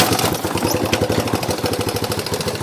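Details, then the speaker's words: Yamaha YTM 200 ATV, single-cylinder, throttle cable broken: quick, even popping beat with no throttle applied; idle deliberately set high because it won't idle when warmed up; high idle. "but had the Idol set a little high so I don't the only thing is when it gets warmed up they don't idle then but oh well"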